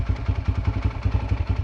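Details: Yamaha TT-R125 dirt bike pulled from a barn after about 10 years sitting, revived and warmed up: quick, low, even single-cylinder thumping at a steady idle while smoking heavily.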